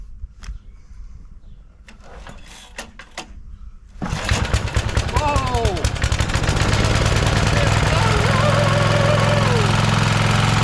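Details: Rover Ranger ride-on mower in neutral, after cleaning and gapping the points to 20 thou, setting the coil-flywheel gap and lubricating the carb: a few clicks, it catches in about four seconds and runs steady and even.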